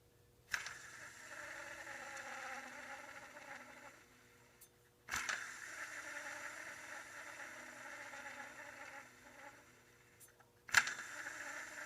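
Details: Honda CR-V (second generation), engine running: a steady buzzing whir with a dry rasp from a bad bearing in the serpentine belt tensioner pulley.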